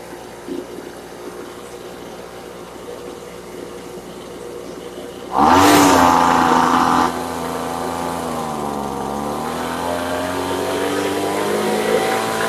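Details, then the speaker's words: Brand-new Poulan Pro leaf blower two-stroke, warmed up, snapped to full throttle. The note sags and wavers, bogging because the high-speed screw is too far open (too rich); closing it at full throttle fixed it. "You hear how when I went full throttle it started bogging out. The issue was the high auto screw was too far open, so I had to close it,"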